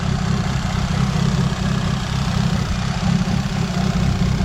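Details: Fiat Seicento Sporting that holds back around 4000-4500 rpm, while checking the SPI unit and throttle body: low, uneven, wavering idle, a bit lumpy; no leaks heard, revs up okay, cause not found.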